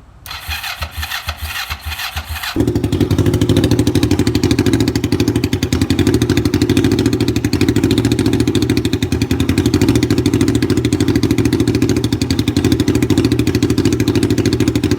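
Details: Kawasaki Vulcan 500 bobber, old motorcycle, battery voltmeter reading just over 10 V before start: about two seconds of cranking, then it catches cleanly into a strong, steady, even idle with no misses or knocking; voltage rises to 12.6 V, stable.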